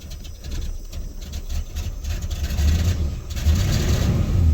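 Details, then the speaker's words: 1979 Lincoln Mark V V8, cold start after a pump at quarter throttle: catches, then the rumble sags and surges, nearly stalling before steadying. Owner thinks the choke gave out; runs great once warm. "was weird the joke just gave out or something [Music] that was very strange the card is almost shut off there"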